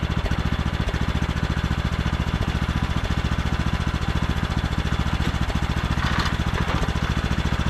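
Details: Craftsman T1200 riding mower with foot-pedal drive, oil just topped off: even, steady single-cylinder beat with no misses, knocks or rattles; runs super smooth, normal running.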